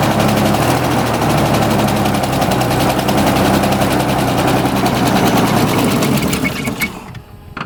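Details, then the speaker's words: 1988 Ford Ranger with trouble codes, mild 60° spring day, likes to die right after start: fast even rattle for several seconds, then sags and dies on its own; owner suspects a sensor making mixture too lean or rich. "just died on its own yeah yeah I didn't I didn't turn that off just straight up died so it started it sounded really nice when it was running there for a second and then it was like and it died"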